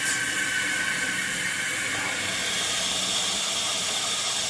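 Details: 1958 Canadian Standard Cadet toilet, just hooked up, tank refilling through its original American Standard fill valve: a steady, even hiss with no squeal or chatter, a healthy, quiet fill valve.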